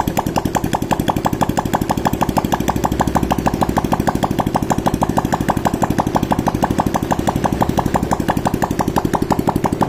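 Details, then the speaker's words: Honda Supra X 125 KPH engine running without exhaust pipe after piston rings and valve seals replaced for white smoke: sharp, even popping from open port, no misses, no smoke; repair successful. "Oke, ini udah enggak keluar asapnya ya. Berarti menandakan ini bagian piston sama kapnya udah aman."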